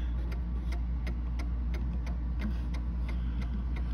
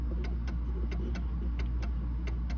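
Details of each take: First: Mantel clock set back in beat with the crutch rod centred free in its hoop: even tick-tock about three ticks a second, evenly spaced over low room hum, running freely. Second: Mantle clock after bending the crutch wire with pliers: ticks in limping pairs, short gap then one about twice as long, over a low hum; still out of beat, needing further adjustment.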